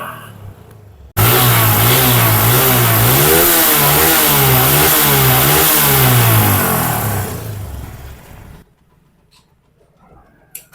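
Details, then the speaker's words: TVS Apache RTR 160 BS3 with heavy white smoke and poor compression: engine revved up and down with a harsh rattly knock under the exhaust; connecting rod big-end bearing knock, before engine teardown. "देख ले engine से भी काफी sound आ रहा है कंक से काफी ज्यादा साउंड कनेक्टिंग से साउंड आ रहा है"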